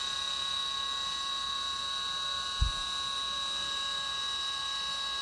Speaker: So if you notice, you don't hear that end mill chattering when it hits the very back of it, where it's gouging into all that material, because I've relieved it away prior to this operation.